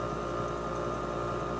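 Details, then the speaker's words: 1964 Triumph TR4 gearbox running in fourth, no pressure gauge fitted, after topping the oil up from about half to about 3/4: a steady, even drone with no pitch change. The overdrive fails to engage, cause unconfirmed. "From my experience, I know that you can hear the difference once it engages."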